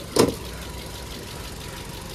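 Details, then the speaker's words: Crash-damaged 2019 Chery Tiggo 3 with a 1.6 engine, manual gearbox and 117,000 km, heard under the hood. After a brief clunk it holds a smooth, even idle with no knocks, ticks or other extraneous noises; coolant reservoir cracked. "под капотом двигатель работает ровно без каких-либо посторонних звуков"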